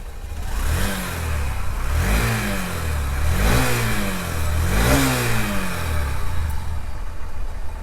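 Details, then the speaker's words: Honda SP Shine 125 cc at 22,305 km, after its engine noise was repaired by replacing a worn bearing. Four clean throttle blips with no knocking or ticking at idle or when revved; it sounds smooth, like a new bike. "एकदम मक्खन जैसा bike का sound आया है और बिल्कुल एकदम जैसे कि नया बाइक जो है उसी तरह साउंड क्वालिटी आया है"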